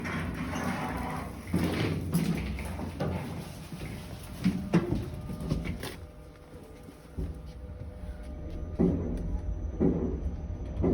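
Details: Elevator car makes irregular dull knocking clunks and thumps in bursts over a low running hum while moving; cause unclear.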